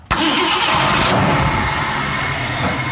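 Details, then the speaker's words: 1967 Ford Mustang with a bad starter solenoid, started by bypassing the solenoid: a brief burst of starter cranking, then the engine catches and settles into a loud steady run. "worked. It's alive."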